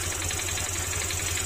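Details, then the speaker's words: Honda Click 150 scooter: steady idle with light, quick knocking on each firing beat, disappears when revved, very loud after cold start; worn piston pin knock, not crankshaft. "Ayan yung parang nag-uumpugan pero kapagka Pin mo naman siya nawawala yung tunog na yan lalo pagka galing sa cold start sobrang ingay"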